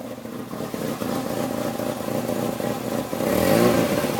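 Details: Peugeot 306 phase 3 1.6 (NFZ engine), rough lopey idle like a cammed engine since head gasket replacement; vacuum leaks checked fine, owner suspects cam timing belt off a notch or two after reinstall; lumpy uneven idle with rev blip.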